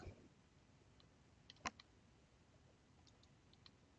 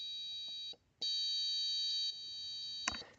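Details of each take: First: Buzzer circuit with four buttons read on one analog pin: after widening the code's value range (reading sat near 9, at the edge of the range), the earlier ticking and fluttering are gone and the buzzer holds a clean, steady high tone. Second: A test-circuit buzzer flutters, dropping out and returning irregularly, because the sensor reading of about nine sits near the trigger value of 10; raising the value to 12 stopped the ticking.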